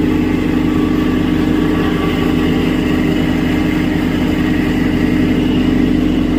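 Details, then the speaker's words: Reefer unit electric fan motor: a steady droning hum with a rough, gritty, constant tone and no rise or fall. Fan motor bearing noise from a worn bearing. "cane this is the one uh making noise the bearing is uh Electric Fun motor"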